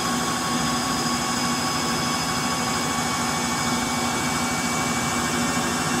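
A steady, jet-like roar with a droning hum builds through the spin, pointing to worn motor bearings.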